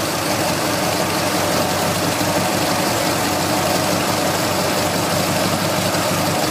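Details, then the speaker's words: Triumph TR4 four-cylinder idling after adjusting points and setting ignition timing with a timing light to about four degrees before top dead center: steady, even note with no misses, stumbles or pinging; running much smoother. "about the right you hear the engine this is running much smoother"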